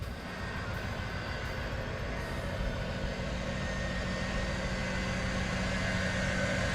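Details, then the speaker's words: Chevrolet LT1 V8 idling smoothly with even steady rumble after replacing a bad arcing spark plug wire that caused misfire and stalling; no misses. "and here you can see that spark plug wire is not arcing and the car is idling smoothly"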